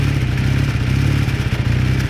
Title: 81 KZ440 Warm Up - Knocking Noise